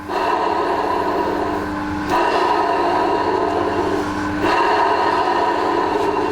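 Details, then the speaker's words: Combination vertical/horizontal milling machine, noisy horizontal spindle, motor run with lapel mic close by; gearbox ruled out. Steady rough whirring hum with gritty ringing tone; owner believes the motor front bearing has collapsed or is about to. "Haha, there's your problem. I've got a bearing gone. I would say I bet my balls that that front bearing has collapsed, okay, or it's about to collapse."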